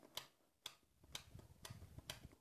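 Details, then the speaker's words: Ford starter motor, key turned: five sharp single clicks about half a second apart with no cranking, as the solenoid plunger moves but current only occasionally passes; solenoid contacts suspected burnt, starter to be disassembled. "estoy con la llave está clic clic clic y esto está haciendo este movimiento y ese es el sonido que yo escucho cuando doy marcha soy un clic y es cuando se crea el campo magnético se mueve el émbolo"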